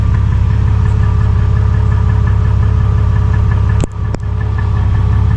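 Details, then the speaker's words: 2001 Jeep Cherokee with about 183,000 miles, with a new MagnaFlow stainless steel muffler after Muffler Weld paste failed on the split old one. A deep, even low burble at idle with a steady rhythm and no rasp, rattle or leaks; the exhaust sounds sealed. "so we got a new MagnaFlow stainless steel Muffler installed in this 01 Cherokee instead"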